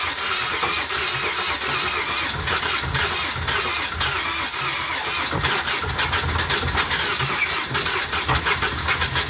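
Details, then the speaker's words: Nissan Altima SE-R project car started on a booster pack; cranks, catches and runs rough with uneven puffing like a misfiring cylinder, a screech, and oil-smelling exhaust smoke; spark plugs suspected, not confirmed. "it sounds like spark plugs are out it's also got a a nice Screech and it's blowing smoke out the exhaust"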